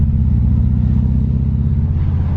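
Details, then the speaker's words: Subaru Outback after a DIY exhaust fix with Jones turbine resonators welded in, on a test drive: steady deep exhaust grumble, much quieter, even, with no rasp, drone or rattle. "Oh, it's definitely better, 100%. So much better. I'm not even kidding, it's so much quieter."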